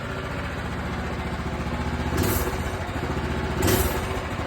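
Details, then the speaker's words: Minibike with a freshly swapped Predator 212 engine (replacing a 196cc), choke on, stock quiet exhaust: steady single-cylinder idle with two quick, clean throttle blips rising and falling sharply; snappy, normal throttle response. "come on, bro. That's snappy."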